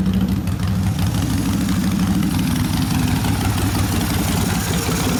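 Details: 1972 Harley-Davidson XL Ironhead Sportster bobber after second motor rebuild (pistons, pinion bushing, lifters fixed), after long warmup: steady, even V-twin idle with deep loping beat, no lifter tick or knock; runs healthy.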